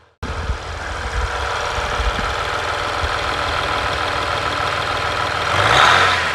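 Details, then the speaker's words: 2020 Ram 1500 EcoDiesel with new intake kit feeding the turbo: steady diesel idle with a clear intake rush over the clatter and a brief blip near the end; healthy, noticeably louder than before. "It's definitely louder now for sure, but the real test is going to be to take it out on the road and see if you can hear the turbo whistle more inside the cabin, which I'm going to get to a little bit later."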